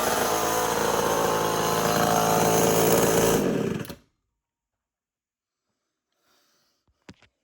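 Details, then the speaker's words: Homelite XL-12 chainsaw that was hard to pull when hot and running badly, heard after about a day of work on it: a strong, steady two-stroke buzz holds even for about three and a half seconds, then shuts off cleanly; it runs right. "definitely took me for about other day to get it to run right, but I think I finally got it to run good."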